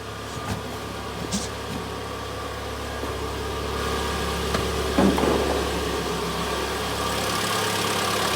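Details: 2014 Mitsubishi Outlander GF0W, 2.0 4B11 engine, 206,400 km, previously knocking, after full engine rebuild: steady, even idle heard from outside the car, no knocking or ticking; engine sounds healthy and smooth.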